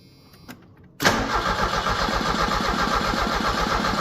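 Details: 1986 Merkur XR4Ti 2.3 L Ford turbo donor engine, test fire with fuel added, out of gear, after sitting with no coolant and fuel line off: steady, even starter cranking at about four beats a second without firing; turns over but won't start.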